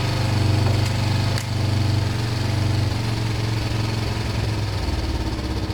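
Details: Kawasaki ER5 twin after wire cleaning, new fuel hoses and carb clean, started on a borrowed battery: fires and settles into a steady, even low thrum of about four pulses a second, no misses or knocks; runs clean.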